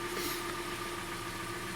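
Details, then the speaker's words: 2013 Hyundai Elantra 1.8 G4NB, US import, about 86,951 miles: steady idle with a faint dull knock under a light whine. Owner suspects piston slap, to be confirmed on teardown. "когда вот так указу ингушка вот такая проблема ребята"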